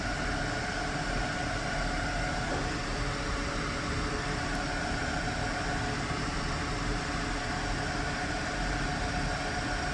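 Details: xTool F1 portable laser engraver (10W diode plus 2W infrared) engraving jewelry and dog tags with its air purifier running: even, steady airy fan hiss with no surging, rattles or knocks; normal run lasting 2 min 36 s.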